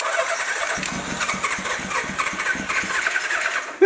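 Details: Old Suzuki motorcycle, run on gas from a pickled tank with carbs still needing teardown: an uneven, stumbling putter that keeps faltering and cuts out while fuel sprays out; float height suspected misadjusted. Rough running.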